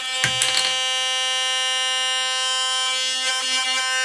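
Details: Philips Sonicare toothbrush after reassembly: steady high-pitched buzz with a rattly edge after a brief clatter; the loose tip/neck, caused by a loose internal screw or cracked shaft, is improved but still not fully tight.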